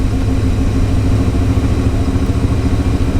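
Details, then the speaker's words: 1982 Chevrolet C10 2WD, factory 350 diesel swapped to 305 TBI V8 with 700R4, first start after replacing missing plug wires: deep throaty burble, loud rumbling exhaust, steady; runs fine. "I don't know why I said it doesn't run. Ooh, it sounds like it got some glass packs in there too."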